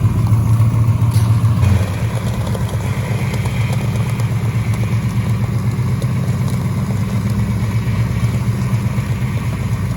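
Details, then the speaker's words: 1969 Dodge Charger 500 barn find V8, first running after 27 years dormant, fuel system still needing work: deep, steady burble after a brief rev, even rhythm, no knocks or misses; normal idle. "You know, we've got the engine running. It actually sounds fantastic."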